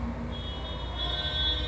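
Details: Computer (CPU) switched on but not starting: a single steady high-pitched beep held over a faint background hum. The board is signalling a startup fault.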